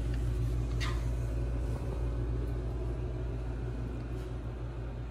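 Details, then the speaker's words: HeatStar 50,000 BTU gas garage heater with a 4-inch horizontal vent kit, first startup: possible regulator sound while warming, then the burner lights; steady low rumble with a brief soft hiss, no rattles or squeals; fairly quiet, normal. "can hear our possibly the regulator or so just warming up i started to fire up there guys the burner is going on now pretty exciting"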